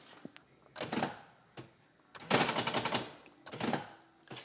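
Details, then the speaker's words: Land Rover Freelander door locks tested after repair with the door panel still off: short crisp clunks and thunks in separate bursts as the locks cycle, actuator now working, probably fixed. "sounds like something's happening I'm going to call that Pro probably fixed"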